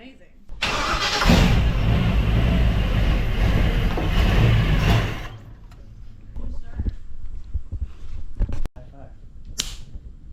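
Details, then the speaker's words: V8-swapped mini truck at its first start: it catches and roars unevenly for about four seconds, then dies. The starter is suspected damaged after a bolt fell out and it twisted; a replacement is ordered. "go team it ran sort of for a minute for a second go that's exciting"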